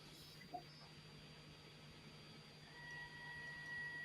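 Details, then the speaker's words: Blocks One MKII 3D printer at first power-up: a quiet hum, then a steady high whine near 2 kHz as the stepper motors move. The owner suspects the drivers are not TMC silent drivers; this is not confirmed. "i'll definitely say there's no way these are tmc drivers like i don't know if you guys can actually hear it from there"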